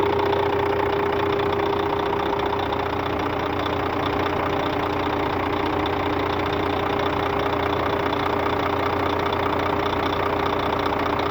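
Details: Scania K400 bus, DC13 13-litre 400 hp (at 1900 rpm) diesel at normal operating temperature, customer-reported strange noise: idle with a steady tone and a regular knock about 2.5 per second; abnormal engine noise, cause not pinned down.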